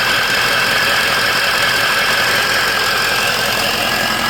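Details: 2004 Ford F350 6.0 Power Stroke diesel after Sinister Diesel adjustable fuel block / blue spring upgrade: loud steady idle clatter with bright turbo hiss; runs smoothly and healthy.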